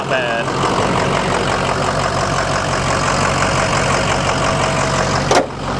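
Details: Rough-condition diesel RAM truck at a dealer auction with exhaust dumped under the bed and a little blow-by: diesel idles steady but with a coarse, lumpy clatter, though it is said to run fine and sound healthy.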